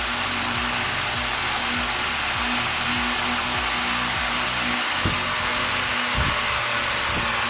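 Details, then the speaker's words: 1950s IEW Tara 16-inch DC vintage table fan, series-wound DC motor with brushes, on high speed: strong, even rush of air over low motor hum, no knocks or rattles; runs smoothly with high torque. "Let's put it to high. So as you can watch, it's having a very high torque."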